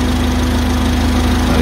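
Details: 2014 Ford Transit Courier, engine idling with A/C on, R134a high side about 200 psi, low about 25 psi, ambient about 31 °C: even idle with smooth condenser fan hum, no rattles or surging; normal A/C operation.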